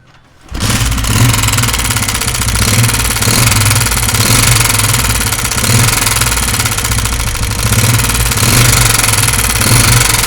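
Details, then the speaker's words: Honda CG125 single at idle with a loud, rapid clatter riding each firing beat, sounding as if the engine is finished. Valve tappet noise from excessive clearance. "तो दोस्तों आवाज़ सुनी आपने, इस तरह लग रहा है कि मुकम्मल इंजन बिल्कुल ख़त्म हो चुका है।"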